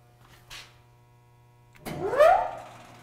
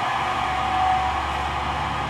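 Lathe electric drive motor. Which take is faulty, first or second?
second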